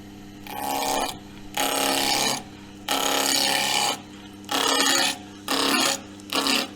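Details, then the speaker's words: Wood lathe turning camphor laurel with a sharp gouge: repeated bursts of smooth, even hiss on each pass, motor steady with no stress on the machine; a clean cut you can hear. "I always say with with turning it's not just seeing how the shavings come off it's actually you can actually hear it you get that lovely hissing sound um and there's no stress on the machine"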